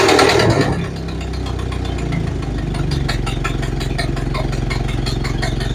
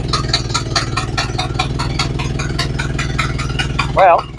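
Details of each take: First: Model A Ford after four months sitting and new parts: old four-cylinder idling with quick uneven puffing tick over its low chug, valve about a third open; runs well apart from exhaust leak. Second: Model A Ford after sitting about four months and receiving new parts: a steady, even four-cylinder putter at idle, no misses or knocks. It runs smoothly.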